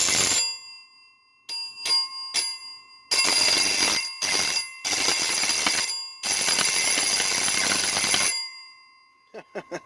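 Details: Antique Edwards doorbell after stripping all its old paint, tested: bright clear strikes in short bursts and longer rings, each ringing out cleanly; working properly.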